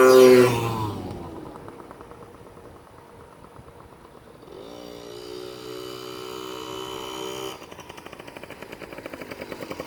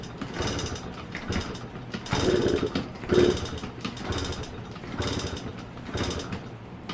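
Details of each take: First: Yamaha PW50 two-stroke, revived after years in a shed, test ride: crisp buzzing revs up and down, climbing cleanly with throttle, no misses or bogging; runs healthy and fast. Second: Yamaha PW50 two-stroke, sat in a shed for years, fresh premix, fuel on, choke on: uneven kick-over bursts about one a second, engine turns but never catches; no start.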